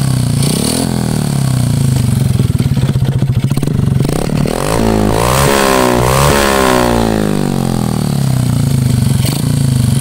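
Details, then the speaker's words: Honda Karisma single-cylinder motorcycle revving up and down with a rough, clattery mechanical noise from the piston area, plus white smoke from the exhaust; owner predicts worn piston needing oversize piston, cylinder work and valve re-seating. "pertama itu keluar asak putih dari knalpot kemudian ada suara kasar di bagian pistonnya ini"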